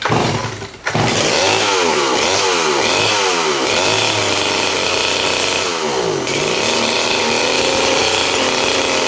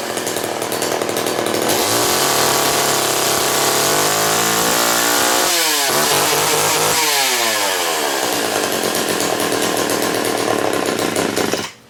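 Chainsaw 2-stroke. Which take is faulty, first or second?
first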